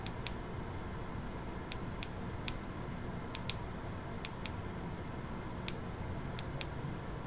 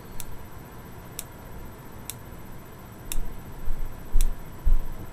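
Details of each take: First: Boyer analog ignition box bench test with a very used Lucas coil, off the bike, 50,000+ miles: crisp snapping ticks at uneven spacing, often quick pairs, from single touches of power; tired coil firing multiple erratic sparks. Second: Boyer analog ignition box bench test with a 12V Bosch coil from an SR600 single: crisp evenly spaced single snaps about once a second; occasional double likely from arcing to small ground wires; clean single spark, box operating properly.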